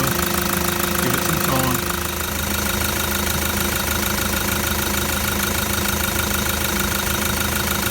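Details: Toyota Land Cruiser 120 Prado diesel with a new replacement engine and new genuine parts, first start after the rebuild: steady, even diesel clatter at idle, no misses, hunting or knock, no tailpipe smoke; normal idle.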